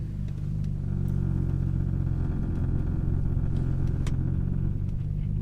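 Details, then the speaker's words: BMW M3 with S54 engine, driving: deep steady drone with a dull buzzing rattle underneath, exhaust rattle because replacement middle exhaust rubber hangers (for an E46 coupe) were too short. "They're too short. So I have what you call an exhaust rattle, which is what you can hear right"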